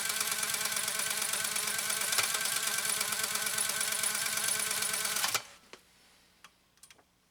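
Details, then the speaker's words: Pfaff 130-6 sewing machine sewing stitch 4 with the foot control pressed all the way down. Fast, even stitching ticks with a steady whir that stops cleanly: normal running at full speed. "All right, now I have my foot all the way on the foot control."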